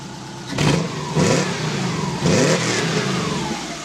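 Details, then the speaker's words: 1991 VW Westfalia converted to a Subaru flat-four: three clean, sharp revs rise and drop back to idle without stumbles, sounding like a 2.5 RS or WRX. The engine is healthy and revs quickly. "and when we rev this thing up sounds really awesome it sounds like a it sounds like a 2.5 R s um Subaru car or like a WRX or even an STI they all got the same sound"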